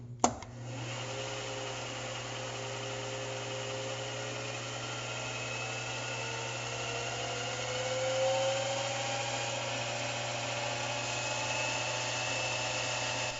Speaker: At this point, the spindle motor driver board problem is getting fairly severe. You can hear the spindle speed fluctuating quite a bit. I'm going to lose all of the torque pretty soon, so I basically have to stop machining and fix the problem.